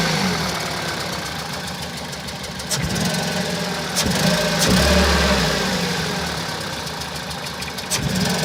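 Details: 2001 Toyota Celica VVT-i, 140,000 km, idling unevenly with a stumbling, surging low beat; computer shows misfire on cylinders two and three, P0300 and occasional P0420; engine wobbles at low revs, especially when warm.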